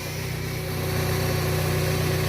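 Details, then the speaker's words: Power steering pump whine at idle: steady mid-pitched whine over smooth idle, growing slightly louder while held; pump appears to be leaking fluid and is being swapped for a used eBay replacement. "noise gets increasingly louder in the car that noise right there super annoying"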